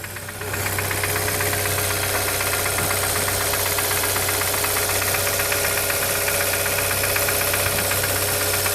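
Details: Brand new 2013 Hyundai Santa Fe at steady idle: rapid, fairly regular knock about four per second; wrist pin or piston defect suspected, not confirmed.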